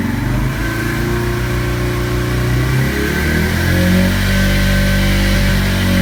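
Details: Yamaha Fazer/Factor 150 single-cylinder engine revving with a steady high whine that climbs with revs, like a dry bearing; in some cases this comes with error 46 when the battery stops charging.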